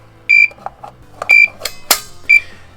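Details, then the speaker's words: LVAD heart pump controller with one of its two batteries removed: a high, clear beep repeating about once a second as a power-disconnect warning; faster, louder beeping means more urgency. "the faster the beep and the louder it is the more urgent it is so it doesn't like when i take the batteries out unless i have a clear purpose which is usually to replace them because they're running out of juice anyway"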